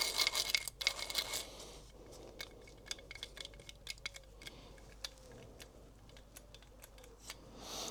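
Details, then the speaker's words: Inner-casing ball bearing from a 1955 BSA BM33, cleaned of oil and spun by hand, gives a gritty, clicking rattle and a faint wavering whir. It wobbles and is badly worn, shot to pieces. "Just goes to show. It's yeah, might have been overlooked, but my god, that is shot to pieces."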